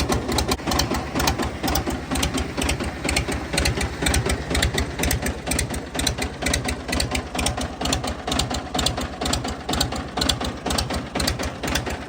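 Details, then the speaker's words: Fiat 450 Special tractor diesel on a very cold day, after rocker cover off and ATF worked out of the cylinders: heavy regular metallic clatter about two per second over rough idle; severe internal knock, crankshaft possibly snapped afterwards. "right everybody if you haven't worked it out yet from the noises this tractor is rooted uh definitely something not right"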